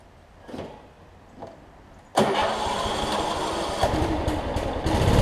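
Cranks briefly, catches at once and settles into a steady, even small-engine run that builds a little; it runs healthy.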